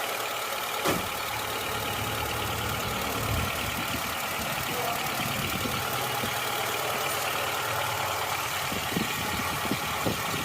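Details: Suzuki Katana/Jimny engine rebuilt and returned to stock from racing mods after white smoke, first start after assembly: steady, even idle with a smooth regular beat, no knocking or misfire.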